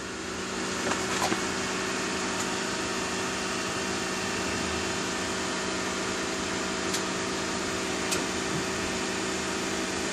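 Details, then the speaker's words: 2019 Honda Accord Hybrid, engine on and parked: even, soft fan whoosh with a faint constant hum. It is just the air conditioning running normally. "okay that noise you hear right there it's just an air conditioner that's on"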